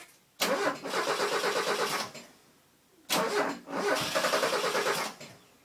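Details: Mazda 323 GTX after TDC/timing work: two bursts of steady, even starter cranking, about two seconds each, no firing; cranks but won't start.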